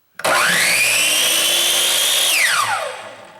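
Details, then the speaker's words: Craftsman 10-inch miter saw with an intermittent-start complaint, first power-up: motor spins quickly to a steady high whine, then pitch drops sharply within half a second as the electronic brake works; faulty switch later replaced. "it's taken off like a champ"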